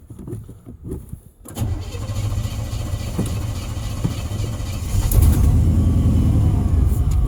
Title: Pedal pumping truck with a bad fuel pump.